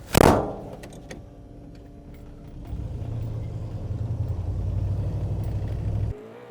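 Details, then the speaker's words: 1955 Chevy truck (Napco clone) with an automatic transmission rebuilt from parts: low uneven droning underneath swells with revs and it never shifts; reverse works, owner suspects the valve body, pump not yet addressed. "Well, something definitely does not sound right down under there, but... hopefully, it just works. Yeah, something doesn't sound good under there."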